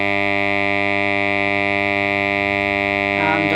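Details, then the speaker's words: Fender Ultimate Chorus transistor amp works but has a loud, steady, buzzy background mains hum at idle; tapping the top changes its character; suspected failing smoothing capacitor in the supply, not yet confirmed. "so the problem here is it's got a quite pronounced hum on it it works okay but it's got a loud background hum"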